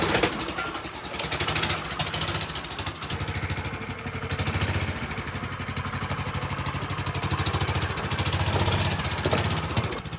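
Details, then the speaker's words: Golf cart engine before the exhaust gasket replacement, at idle: extremely loud, raspy, rapid popping chuff on every firing pulse; blown exhaust gasket leaking at the pipe. "will it start this thing is Extremely Loud right now"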